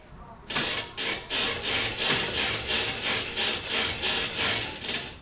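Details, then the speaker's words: Toyota Tacoma with Old Man Emu Dakar heavy-duty rear leaf springs, bought about six months earlier, squeaking after water crossings; loud rhythmic high-pitched squeak about three per second as the rear suspension flexes. "think they were squeaking as bad as they sound right then and there as in that video I don't remember to be honest but they are super loud right now it's I can't stand it I feel embarrassed to drive the truck the way it is right now"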